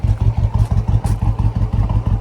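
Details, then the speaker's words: Harley-Davidson F-150 with aggressive cam, coil packs and spark plugs ruled out: deep lumpy idle with uneven thumps and dropped beats, skipping; misfire, fuel injectors, pump and system suspected next. "we're idling now not very good sounds like crap sounds like it's skipping"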